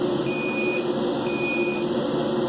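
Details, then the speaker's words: 50 W Chinese laser engraver with an Arduino safety system: two long high beeps about a second apart over a steady blower hum. This is the work-area over-temperature warning; the laser shuts off until it cools to about 85. "I think I'm doing 2 beeps for the work area being too hot. Again, it turns the laser off, and you're hearing those 2 beeps."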